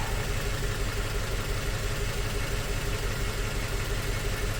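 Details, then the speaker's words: 2004 Toyota Tacoma four-cylinder, 141,000 miles, cylinder 1 dead miss with a known-good coil: lumpy idle with a low thump stumbling about twice a second. "We'll fire it up. We definitely still got our shake, and should be."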